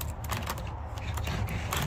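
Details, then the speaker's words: Chainsaw chain pulled round by hand: sharp, uneven clicks about four a second and the chain tightening when it should stay loose, a worn drive sprocket needing replacement. "it doesn't, you hear that clicking? And look at the chain tightens up like that. See that? When the chain should be loose like that. Watch. Look at that chain. That means you need a new sprocket."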